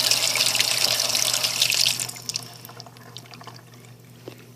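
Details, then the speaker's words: House cold-water tap running, compared with the hot water, which has pressure problems: steady, even hiss with no sputtering or air spitting, much smoother than the hot water. The toilet filling seems to have air bubbles. "the cold water is not as bad as the hot water but when we hear the toilet filling it seems to have air bubbles but as you can see this is much smoother than the hot water"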